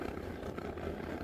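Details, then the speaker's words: Ozark Trail portable propane heater on low setting after about 16 minutes running: steady low fluttering rumble from the burner that disappears on high and returns on low; cause unknown. Abnormal noise on low. "you hear that noise that's on the low setting I've got the temperature on the low setting it's been running"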